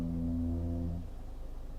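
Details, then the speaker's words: Genesis GV70 creeping forward at low speed in traffic: deep, hollow moaning groan, described as like a sinking ship, lasting about a second then fading; brakes noisy at slow speeds. "The brakes are quite noisy when you're just creeping along at slow speeds."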